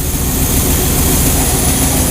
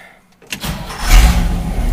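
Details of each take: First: 1969 Chevy truck V8 with Quadrajet carburetor at idle while mixture screws are adjusted a quarter turn at a time against a vacuum gauge: deep chugging with slightly uneven, stuttering beats, a lean stumble from the screw turned too far; backed out again. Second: 1969 Chevy truck V8 first start after refitting a Quadrajet carburetor (bowl primed) and distributor: a few quick cranks, then it catches cleanly without pumping and idles on its own with a steady low rumble, far better than before.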